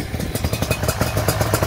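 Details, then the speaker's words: Yamaha Banshee two-stroke quad after dual petcock rebuild: smoky, rapid burbling ring-ding idle about eight pulses per second with a rattly edge; running a rich mixture. "oh she's smokey i got a real rich mixture in here"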